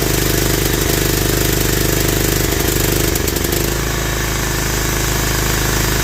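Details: Toro Wheel Horse 265 lawn tractor engine, after coil check and different starter, at full throttle: stumbling, uneven, weak firing that changes as the ignition is cut; something internal suspected, later thought to be a corroded stuck valve causing low compression.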